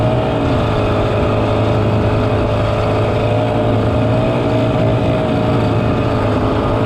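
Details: 1967 Ski-Doo Alpine twin-track snowmobile, revived after sitting many years, running on its own fuel on a 75° day: steady, smooth two-stroke drone at constant pitch, no misses, knocks or rattles; healthy normal running.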